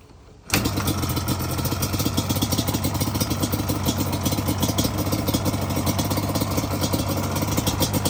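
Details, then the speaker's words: Customer carbureted motorcycle after repair, idle and air screws just set, engine still somewhat warm: it catches right away and settles into a crisp, even idle with a steady beat and no stumbles; normal start and idle. "So we're gonna start it up, take it for a rip, see what it does. It's still pretty warm, it ain't cold. But it ain't that hot either."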